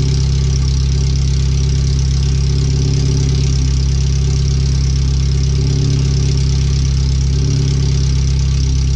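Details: First startup after replacing the header, fuel filter and differential bushings and seals, with O2 sensors moved and no exhaust fitted past the header; the computer read 5-7% rich. A very loud, deep, steady idle with a raw unmuffled rumble; open header, far too loud.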